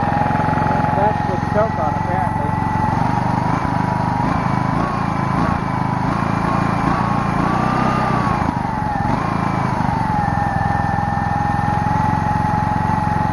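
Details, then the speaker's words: Small single-cylinder generator engine, sat for years in a pumphouse, air filter off, choke sprung on: speed sags and surges instead of a steady idle; bogging, owner suspects missing air filter or rich running needing choke. "doesn't want to idle very much i'm not entirely sure what that's all about uh well i think i could put the air filter back on maybe that's why it's not uh running as smoothly"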